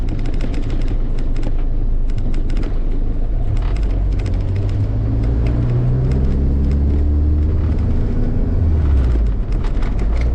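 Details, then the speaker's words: K24-swapped Honda Civic hatch with turbo wastegate, driving after warm-up: deep smooth low exhaust rumble, no hissing or puffing under the hood; quiet engine bay, only muffler deep, not very loud; healthy. "the engine bay sounds so quiet and the only deep part about the car is the muffler and even that is not like super loud"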